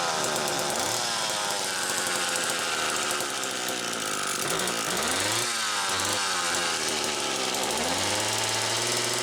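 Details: McCulloch Power Mac 6 chainsaw, two-stroke, test run after carburetor kit rebuild and 24-hour cold sit: sharp buzz revving up and back several times, steady idle between; runs cleanly.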